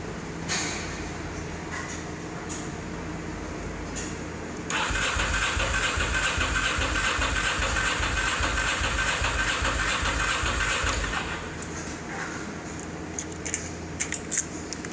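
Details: 2003 Ducati Monster 620 that won't start; the owner suspects the battery, a friend suspects ignition. About six seconds of even starter cranking at roughly two and a half beats a second, never catching. Crank no start.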